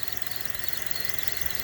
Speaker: that's a sign of a a belt okay the belt is dry and that's why it squeaks